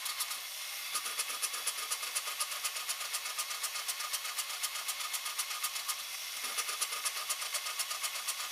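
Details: 2004 Cadillac Escalade ESV 6.0L LQ9 V8 misfiring on cylinder 2 only at idle; light even ticking about four per second over a thin idle with occasional stumble; leaking cylinder 2 intake valve suspected, heads to be removed.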